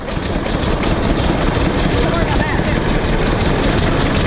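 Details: 1926 Hart-Parr 16-30 tractor, first start in over a decade after six months of work; deep slow chuffing beat holding steady with no skips or knocks; firing evenly, running well.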